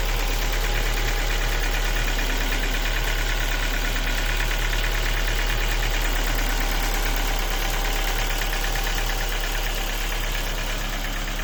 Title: Ford Focus 2 1.6 engine knocking. Sound of broken piston pins.